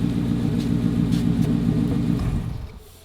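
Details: Rebuilt salvage Ford Mustang Boss 302 V8, left overnight under a tarp; steady idle rumble then dies away over about a second; stall caused by a faulty headlight ground.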